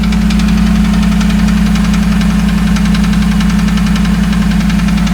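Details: 2008 Dodge Ram 1500 5.7 Hemi V8 at steady idle: regular knock a bit over two per second over the engine note; five mechanics could not identify the source and suggested a new engine.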